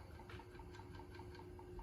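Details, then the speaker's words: 1979 Apple II with monitor ROM and 48K RAM, booting from the floppy disk drive by BASIC command: quick, even head-stepping ticks over a low hum, normal drive seek during boot. "what we have to do is type a command in BASIC to boot from the floppy disk drive. And you can hear it making those wonderful little noises."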